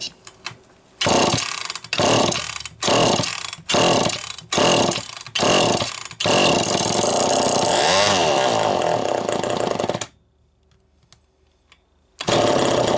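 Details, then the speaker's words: Homelite EZ Automatic chainsaw after scoring repair, carburetor unchanged, high-speed screw just over one turn: short revving bursts then a thin high full-throttle scream; running slightly lean, to be opened to about one and a half. "a little lean see what shoot was on just a hair over one open it to about one and a half"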